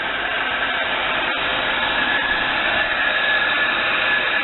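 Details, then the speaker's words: 1998 Buick Riviera 3.8L supercharged V6 just after valve cover gasket replacement: steady, even idle hum with no knocks, misses or hunting; engine not shaking, smooth as usual. "The engine's not shaking. The car is relatively smooth, just like it always is."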